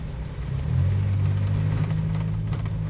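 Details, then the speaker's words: Nissan Sentra with freshly rebuilt cylinder head, code P0300, fault appears as engine warms, revved slightly: lumpy, uneven idle with wavering drone and irregular stumbles; misfire, mechanic attributes it to the timing chain. "ya sé dónde está el problema si lo logran escuchar cadena señores por eso marca el código p0300"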